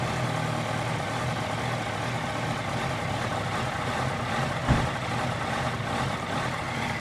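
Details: 2018 Honda CBR650F idling cold with an uneven, lumpy beat and a steady low rumble, no clear mechanical knock; rough idle on cold start.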